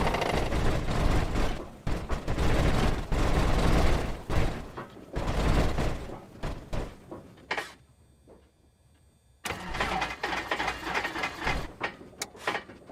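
Repeated rough cranking bursts that die away, sharp pops between tries, then another long crank; engine reluctant to catch and backfiring. Cause suspected, not confirmed.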